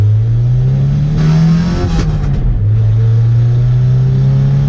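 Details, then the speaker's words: Nissan SR20VE B14 on mismatched SR20DE headers with header air leak and no O2 sensor, test drive: revs climb hard under throttle with sharp pops mid-pull; heavy exhaust backfire under acceleration, power lost. "punch it it's Lord backfires super hard I don't know if you guys can hear that"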